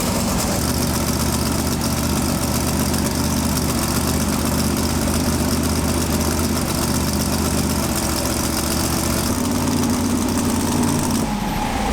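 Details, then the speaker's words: Twin-turbo big-block pro mod drag car with a new Turbo 400 transmission, first fire-up after 2.5 years: loud, steady, fast idle with a deep even lope that never settles; throttle suspected to be on the stop and needing adjustment, unconfirmed. "sure sounds like it's hitting the stop so I think it's on the stop up here we just need to adjust"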